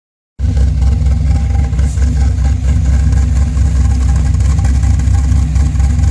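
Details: V8 at idle with Lunati high-speed lifters, second set after first failed within 200 miles: deep steady rumble with light quick ticking; suspected lifter tick, not confirmed.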